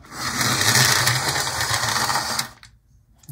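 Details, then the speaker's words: HO-scale model locomotive, internal weight no longer loose: loud, harsh buzzing whirr with a rough, uneven rattle; motor now runs but is noisy and sounds like it's slipping, with traction tires needing replacement. "is a noisy beast sure is but it is now running it sounds like it's slipping"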